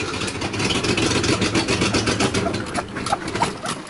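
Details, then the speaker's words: Mercedes W123 Pullman limousine engine running briefly on gas poured down the carb: fast, uneven ticking puff about four per second; exhaust leak, carb needs rebuild, fuel pump not pumping, carb may be sucking air. "what you get so it's a runner you definitely have exhaust leaf and you definitely need to do a little work on it"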